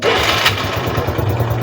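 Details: Engine after battery recovery, with battery checked as good before starting: a brief crank catches quickly and settles into an even, low putter with no stumbling. Normal, healthy start.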